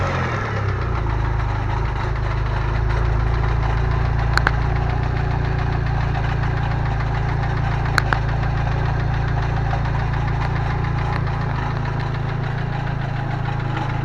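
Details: Steady idle with fast metallic rattle about four times a second; owner first suspected rod bearings, but the cause was a loose Fidanza flywheel starter ring.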